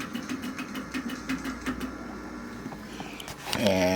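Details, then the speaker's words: LAI Games Lighthouse 2002 arcade machine on test mode: rapid, uneven ticking about three per second under the machine's hum; something in the mechanism is catching, cause unknown and needing attention. "but we are going to have to address that noise there"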